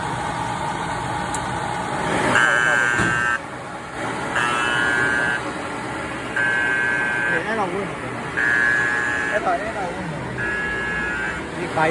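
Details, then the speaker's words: Kyungdong Navien agricultural produce dryer showing E-1 overheat: a high buzzer sounds in repeated one-second blasts about every two seconds. The sensor is fine; the bimetal safety temperature switch tripped, cutting power, and it won't reset by switching off and on. "이게 온도 스위치 이게 떨어지니까 이게 전원이 이게 차단돼서 이게 경고가 울리니까."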